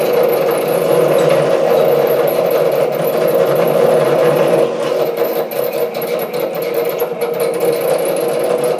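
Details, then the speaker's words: SC2 mini lathe parting off 316 stainless steel at half chuck speed: harsh uneven chattering cut falters as workpiece slips in chuck; tool moving off centre, loose top slide suspected. "There was it started slipping in the chuck. That is the last thing that I want to happen."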